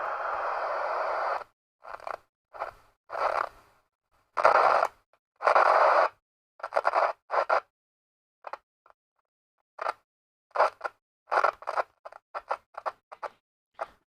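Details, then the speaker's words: Sony AIR-7 receiver with the usual collapsing volume and squelch potentiometers. Intermittent hiss and bursts of scratchy crackle come and go as the control is turned, then drop to silence; a worn, collapsed potentiometer track. "okay we're gonna hit a bit of hiss so you can hear it it's intermittent that could be the squelch"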